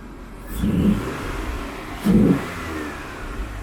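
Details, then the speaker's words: 1999 Vauxhall/Opel Vectra B GSi MSD 2.5 V6 with an aftermarket cone filter induction kit replacing the stock airbox; two quick throttle blips, each with a deep hollow intake roar, dropping back to a smooth idle: normal revving with induction roar. "So you can really hear the induction kit on this engine. You wouldn't obviously have that as stock, but it's a really popular mod, and like I said, you know, it's your car."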